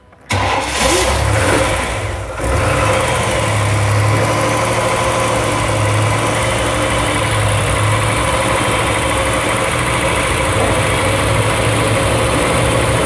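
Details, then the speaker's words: 1995 Chevy Astro 4.3L, no-start with new fuel pump, now at about 62–64 PSI fuel pressure: cranks, catches and settles into a steady idle with a faint occasional stumble; a slight misfire. "it's got a little bit of a misf before all right"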